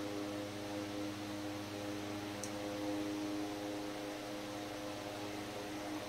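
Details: 100-plus-year-old restored Century S-3 Model 15 desk fan on speed 4, wall power: smooth even whir with soft steady tone, no knocks or rattles; normal running.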